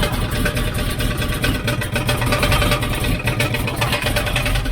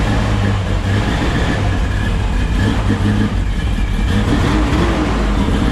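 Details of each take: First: 1972 Chevrolet C10 shop truck, first start after engine swap: quick regular knocking over rough idle, sounds like it's in the bell housing; found to be inspection plate contacting the spinning flexplate, not bottom-end knock. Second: 1972 Chevrolet C10 shop truck after first start: deep steady rumble with an even beat and no knocking, tapping or clatter, after the bell-housing knock was traced to the inspection plate and cut away; engine running smooth.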